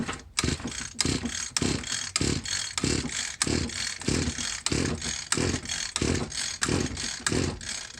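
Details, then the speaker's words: Free Echo SRM 210 string trimmer with a newly installed carburetor, on premium fuel after priming; repeated rasping starter pulls with no firing because the choke was left off. "not a thing guys choke wasn't on that's a good sign"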